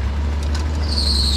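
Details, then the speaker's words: 1986 Jeep CJ7 fence-post drilling rig at idle on a humid day: a steady high-pitched squeal rises over the deep, even idle and holds without changing, a slipping accessory belt squeal. "a belt squeal do the wipers work"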